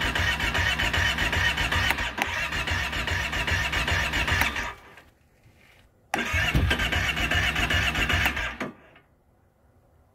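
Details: 2012 Kawasaki Brute Force 650i ATV cranked with choke open: two long spells of steady rhythmic cranking, about four beats a second, never firing, crank no start.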